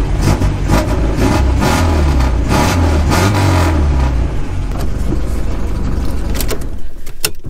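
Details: TSD rally car with V4 and freshly replaced clutch, driven to work the same day: engine catches and revs up and down with a rough burbly note and slight exhaust puff; running normally.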